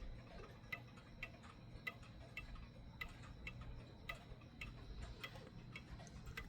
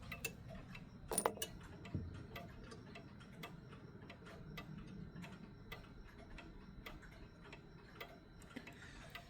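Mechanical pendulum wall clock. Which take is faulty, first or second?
second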